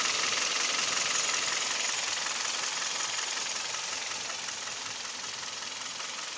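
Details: Kia/Hyundai Theta II G4KD petrol engine at idle, recorded from inside the cabin: fast, even tapping about 160 a minute over a hissy idle, no low rumble; piston knock with vibration, knock also reported at 1500 rpm.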